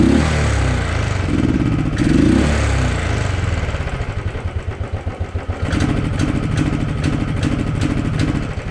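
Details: Royal Enfield Thunderbird 350 carbureted single with a bogging and pickup problem: revs climb, then exhaust breaks into uneven, stumbling pulses instead of pulling cleanly; dirty carburetor, cleaning it cured the bog.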